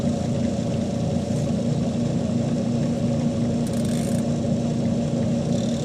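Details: Panasonic 5.2 kg single-tub washing machine after a new plug was fitted: an even low hum with a steady churning drone, no knocks, rattles or grinding; wash motor runs smoothly.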